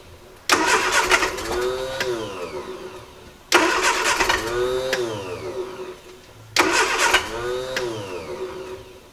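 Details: 1968 Triumph Herald 13/60, off the road for a while, first start attempt after new distributor cap: three bursts about three seconds apart, engine catches, revs and falls back cleanly, no knocks or misfires.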